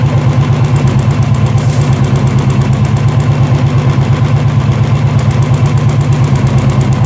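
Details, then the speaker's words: Royal Enfield BS4 EFI single-cylinder at idle: light, quick, even ticking mistaken for tappet noise, actually from the charcoal canister purge valve; unplugging it stops the engine, pinching the pipe tests the tick. "दोस्तों यह sound यहां से आ रहा है charcoal castor [संगीत] से देखा दोस्तों आपने यह टेपट नज लग रहा था मेरे को मैकेनिक्स लोग बोल रहे थे यह करो वो करो टपट का साउंड आ रहा है हाइड्रोलिक का साउंड आ रहा है बट यह दरअसल साउंड आ रहा है चारकोल कनिस्ट का"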